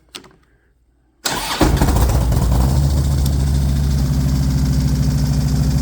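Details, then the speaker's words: First start of a 2009 Harley-Davidson V-twin project bike after a dead-battery attempt: brief starter whirr, then an even loping idle of about three to four beats a second; normal start, though it won't go into neutral. "There she runs. That's our problem right there. We got to figure out why we can't get it into neutral. Sounds good."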